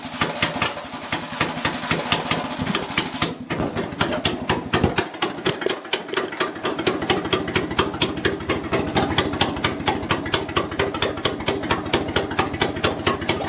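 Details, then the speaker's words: Suzuki Carry after compression and spark plug troubleshooting: steady idle around two beats a second with sharp crackling pops and flames out of the exhaust manifold; backfire at idle, and the owner suspects something sticking open. "I mean, it's a real nice idle, but wow, we got flamage there. Insane, huh? That's the idle I'm looking for, but dang."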